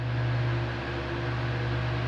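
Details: A fan on 220 V runs at speed 1 with a steady, even low hum and no rattle or buzz. It had excessive noise at speeds 1 and 2, and a new capacitor fixed it.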